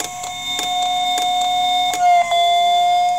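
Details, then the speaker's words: IBM Deskstar hard drive failing to load firmware from its reserved area, heard through an electromagnetic pickup coil: steady whine with sharp head-reset clicks, then the pitch sags as the spindle motor slows, resets and tries to spin back up. "time it dips a little bit that's the motor slowing down resetting and coming back up to speed or at least trying to get back up to speed this drive is not having a good day"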